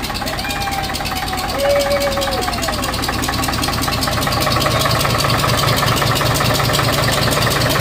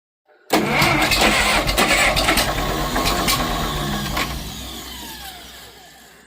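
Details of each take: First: 1951 International Harvester TD9 dozer gas/diesel engine, not run in about 20 years, on another start attempt catches and settles into steady, slightly uneven low chug with faint whistle: running on its own. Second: 1951 International Harvester TD9 dozer gas/diesel engine, not run in about 20 years, first start attempt with fuel, spark and air sorted: starter churns about six seconds, slowly fading, never fires; cranks but no start.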